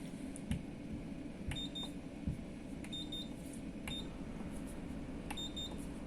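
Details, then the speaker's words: Quantum Controls QC-1500 ship roll stabilizer, bow station control unit switched on after PLC repair, running self-test: short high beeps, often paired, repeat irregularly each second over low hum; fins set to zero but unit ignores other buttons; panel alarm beeping. "Так, пошел тест. Вот этот блок управления, он проверяет сам себя, все ли в порядке."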